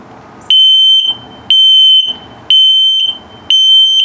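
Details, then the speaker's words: Carbon monoxide/LP detector in a 2022 Starcraft Autumn Ridge 19BH travel trailer: the same shrill tone pulsed slowly, about once a second, even and steady, signalling a low detector battery. "And if it beeps the same tone but very slowly, it's telling you that your battery's low."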